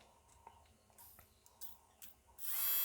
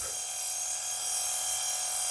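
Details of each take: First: Nail file drill motor powered directly from bench power supply after removing the control assembly: spins up to a smooth, steady high whine, no roughness; nothing wrong with the motor. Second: Nail file drill with faulty speed-control transistor: thin, high-pitched steady whir with a faint rough edge from a dry motor bearing; owner will oil the bearing again.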